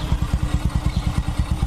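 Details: Honda Supra X 125 after engine repair: even, regular low thumping at idle, about seven beats a second, no clatter or misses; smooth, healthy single.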